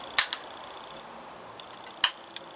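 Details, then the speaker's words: Hatsan Sortie PCP semi-auto air pistol being decocked: with the bolt all the way back, pulling the trigger gives a sharp metallic click, then a lighter one as the bolt eases forward, heard twice; hammer spring pressure released, it will not fire. "pull the trigger and you hear that click and you let it go and that's it it will not fire"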